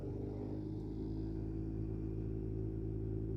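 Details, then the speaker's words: 2013 Ford F-150 with the AC on: steady, heavy low rumble with a slight pulsing beat from the blower fan behind the dash, heard at any fan speed and caused by debris in the fan. "So the AC's on and it's making this pretty bad rumbling sound from behind the dash over here. If we adjust the fan speed, pretty much at any speed you can hear the noise."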